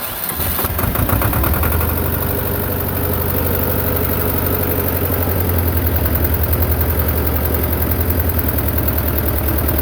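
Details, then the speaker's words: Belarus 250 tractor, two-cylinder air-cooled diesel sitting for years, after cleaning injection pump parts to fix no-fuel: catches and settles into steady low idle, thumping near 160 a minute, holding without fading; healthy running. "if you go below where it's sitting at right now it'll start getting into the low idle and we Fade Out so you don't really have much throttling you take it all the way up and goes on up but you can leave that at a kind of a low idle like this"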